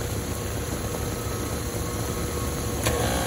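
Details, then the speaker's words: Carrier AC unit that short cycles and isn't cooling the kitchen: steady, even blower rush with no knocks or squeals while it waits for the contactor. The condenser fan later shows 120 V missing. Normal blower operation. "so she just woke up blower motor's going waiting for the contactor"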